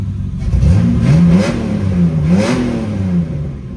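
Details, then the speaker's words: 1997 Mitsubishi 3000GT SOHC after the grounding was redone to cure misfire; catches, revs up smoothly and settles into an even drone without stumbles or missed beats. Runs clean, no misfire. "It's crazy how much grounding can affect the way a car runs."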